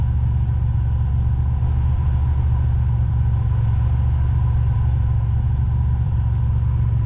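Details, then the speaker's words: Vehicle engine idling with max A/C, vents near 40 degrees: smooth steady idle, no squeal or chatter from clutch, which cycles normally. "that means the clutch shoes the coil is releasing the clutch shoe so let's go out here take a look"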